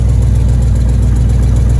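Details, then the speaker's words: 5.3 LS V8 swapped into a C5 Corvette-chassis Jeep Wrangler, first start on new headers and full exhaust: steady lumpy idle with a fast light tick at the V-band joints from a large exhaust leak. "I have a giant exhaust leak this sounds pretty good"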